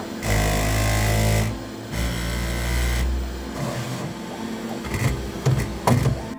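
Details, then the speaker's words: Bambu Lab P1S 3D printer doing its pre-print resonance calibration passes with the bed and extruder head: loud, low buzzing bursts that shift pitch, then rattling taps, which may seem worrying but is totally fine. "might make you concerned if anything goes wrong when you just started to play around, but I'll tell you, it's totally fine."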